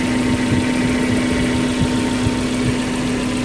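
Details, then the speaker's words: 2013-built Suzuki Carry Futura 1.5 pickup with about 53,000 km, idling with the engine bay open; dry engine, water from the exhaust showing good combustion: smooth, steady low hum with no knocks, ticks or rattles. "Suaranya juga halus, suara mesin halus, tidak ada noise yang aneh-aneh ya, ada suara yang aneh-aneh."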